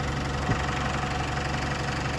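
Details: Isuzu D-Max diesel after a crank-no-start fault (codes included EGR and camshaft position; the engine ECU was ruled out) has been fixed. Steady, low idle with an even, light clatter and no misses or surging. Normal diesel idle.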